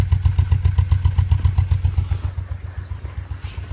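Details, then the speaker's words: Nissan Micra at idle, recorded at the exhaust, engine light on: uneven popping exhaust pulse; scan shows misfire on cylinder 3, coils to be swapped to diagnose. "Next up, we've got this Nissan Micra. Sounds like a misfire."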